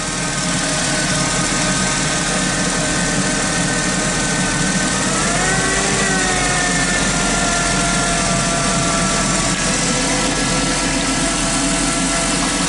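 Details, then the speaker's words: 2006 Chrysler Sebring with transmission limp mode and a jumping speedometer, idling under electrical load: a thin whine bends and strengthens; voltage reads fairly steady, owner judges the alternator noisy. "I'm going to go out on a limb that alternator is making a lot of noise anyways"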